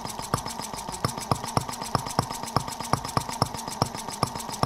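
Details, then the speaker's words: Microcosm R18 model of the 1886 Benz Motorwagen engine, first run after unboxing: steady, even pops about three a second over a faint hum, no stumbles or rattles, virtually no vibration. Normal running. "So yeah, a very, very, very interesting little engine. Amazingly smooth. I mean, super smooth running. I mean, virtually no vibration at all."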